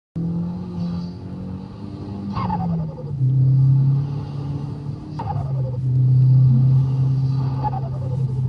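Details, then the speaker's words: Big-turbo 1.8T in Skoda Octavia RS with Greddy Type-S blow-off valve before adjustment: low engine drone with quick chirping flutter bursts between gear changes and at light throttle; turbo compressor surge. "reason I'm doing it is because between the Gear changes and light throttles it's making the oldo noise for example and this is not the potentially this is not the greatest thing"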